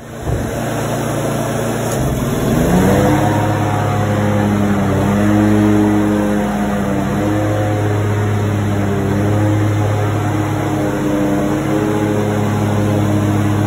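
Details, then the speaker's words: Grasshopper mower test run after replacing blade spindle bearings, pulley reinstalled, center bolt torqued to about 20 ft-lb: engine settles into smooth, even run with steady blade whir, no grinding; normal after repair. "Guys, we got that grasshopper going one more time."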